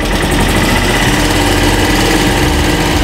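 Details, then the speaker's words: Italika DM-200 pushrod motorcycle engine idling after valve clearance adjustment and the cover bolts torqued to 10 N·m. Steady, smooth idle with the tappet noise gone. "y si en efecto ya no se escuchan las banderías otra vez"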